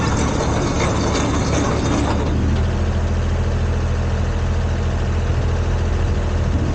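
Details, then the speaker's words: Komatsu PC10-3 mini excavator, small diesel at low idle, just enough to keep the battery charging: low, steady rumble with an even beat and no knocks or misses; normal idle. "that's the sound the machine makes it low idle uh just enough to keep the battery charged and not discharging"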